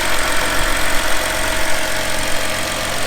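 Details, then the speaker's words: Ford F250 6.0 Powerstroke diesel bought from Copart, during rebuild: starts right up and idles evenly with a steady low hum and light hiss, no knock or stumble, no smoke; check engine light apparently still on, many random codes. Normal idle. "Well, it started right up and it sounds normal. Got the engine light, it looks like, still. Well, everything sounds good. It's idling good."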